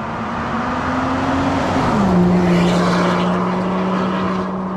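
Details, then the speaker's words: 2024 Range Rover Sport P440e–P550e hybrid, 3.0 inline-six under combustion power, with an aftermarket valved exhaust system, valves shut. Smooth, muted hum with a steady low drone easing as revs settle; civilized in cabin; normal. "so yeah so this is now this is engine going still very quiet with our valve shut on the outside of the car there is something but it's still exceptionally civilized within the cabin"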